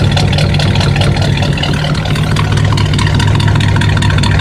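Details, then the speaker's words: Buick after new spark plug wires, recorded at the right exhaust tailpipe: deep steady burble with slightly lumpy but even pulse, first suspected misfire; normal idle exhaust note, though the problem later returned. "Now I was a little concerned about the right, because it sounded like it was misfiring a little bit. It just didn't sound quite right, but that actually is normal."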